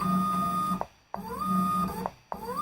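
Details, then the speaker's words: CNC Z-axis on an undersized NEMA 23, roughly 2.1 Nm stepper with a TB6560 driver at 12 volts: short whining moves with rising pitch, each cut off quickly, since it must lift bit by bit or stall; going down is fine with gravity. "I have to take it a little bit by bit. Otherwise the motor stalls, but going down, we don't have a problem because we've got gravity, obviously."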